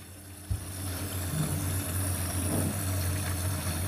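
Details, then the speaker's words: LG dishwasher after main control board repair for 'IE' error; steady low hum with soft hiss of water entering through the air guide; normal water fill. "yes water taking through the air guide"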